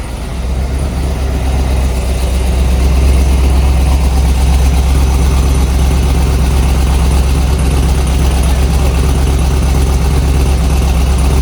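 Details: 50th-anniversary C5 Corvette Z06 V8, about 50,000 miles, sat for years, first run after replacing the injectors with Siemens Deka 80s: deep, steady rumble settling into an even idle, no misses, stumbles or knocks; running normally.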